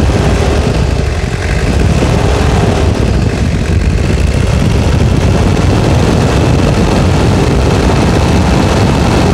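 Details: Toyota Hilux (1992–2001 generation) diesel near the end of restoration: deep, steady diesel clatter at even idle, no knocks, misses or speed hunting; running smoothly and healthy.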